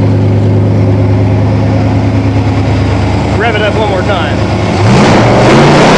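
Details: 1987 Toyota Supra MKIII with swapped 350 Chevrolet Vortec V8 and 700R4, restarted after rebuild with distributor cap corrected 180° and valve lash reset, open unwelded exhaust: even idling burble, rising cleanly when revved, no miss or knock; normal running and revving.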